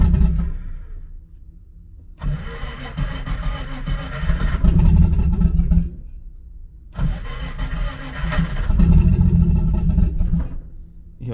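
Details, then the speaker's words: Nissan S13 on E85 fuel, started for the first time in a while on jack stands; fuel pump heard, then two long uneven crank bursts with rough surging catches and lumpy revving before it runs: hard E85 cold start. "well that's a good sign all right that's good i see i hear the fuel pump oh that e85 cold start"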